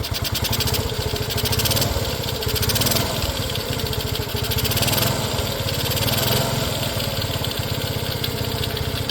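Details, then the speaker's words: Restored custom Honda CT90, fuel mixture screw not yet adjusted: fast, even single-cylinder idle putter with a faint breathy suck on each intake pulse; owner hears it sucking in a little and plans a mixture adjustment. "And you can hear in here, hear it sucking in a little."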